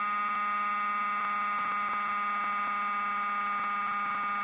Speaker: that noise is the um shims it's it's the nanocrystalline material that's oscillating with magnetic field flux lines